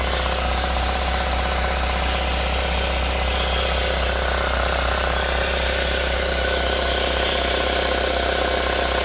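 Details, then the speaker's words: 2005 Chevrolet Corsa 1.6 8v petrol idling with clutch pedal pressed: steady rapid knocking over the run that stops when clutch released; seems to come from flywheel or crankshaft, exact source unconfirmed. "Embreagem acionada, ó. Ó o barulho."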